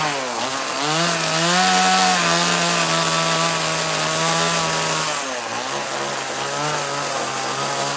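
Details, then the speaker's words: Chainsaw during carving (MS170 10-inch carving bar, 029 20-inch bar or Neotech NS832 on hand): high note wanders, sags, stumbles and picks back up unevenly as the saw sucks air; running out of fuel. "that was coming. I could hear it. It was sucking air. It made a little different sound, but we're out of fuel."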